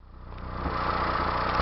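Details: 1992 Mazda B2600 at idle: uneven, stumbling beat with irregular dips in the exhaust pulse, a misfire of unknown cause.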